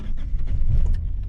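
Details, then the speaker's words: Car in Yakutsk after a night near −50 °C (about −45 now) under a portable tent garage on mains power: low cranking rumble, then it catches on the second try and settles into a rough, rising cold idle. Owner considers this normal. "О, ну, со второго раза. Ну, это нормально, в принципе."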